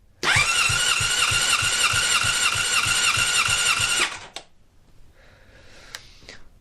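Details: Honda CBR600RR motorcycle compression test at full throttle: steady starter whir with even pulses about three per second for four seconds; healthy cranking, about 150 PSI, matching cylinder 1, good compression.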